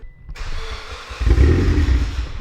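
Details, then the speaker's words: 340 WHP Mitsubishi Evo X cold start with a newly fitted test pipe: catches after a second of cranking into a rough idle with a brief metallic rattle, described as sounding almost like a fan; source undetermined. "shut it off what was that rattle do you hear it that was extra rattly you blow your motor son i hope not i feel like i heard that rattle the other day when i started it briefly it was like it was it sounds like a fan almost"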